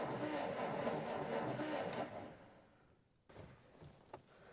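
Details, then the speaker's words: 1947 Dodge D24 Deluxe, not run in over six months, owner believes an ignition issue: starter cranks evenly, about four turns a second, without catching; no spark at the spark plug, coil to be checked next. "is it sparking dang it no spark"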